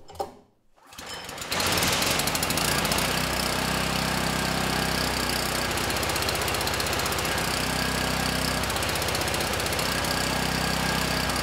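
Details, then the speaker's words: Campbell Hausfeld generator with clone carburetor, throttle set toward fast, lamp load: starts and settles into a steady, slightly lumpy beat with a rough edge; it runs too rich, blamed on the drilled-out pilot jet, and a new OEM jet is planned. "runs well the good news is the engine sounds good and we're making power the bad news that clone carb is running the engine too rich and I'm sure I'm to blame for this one I should not have drilled out that pilot jet"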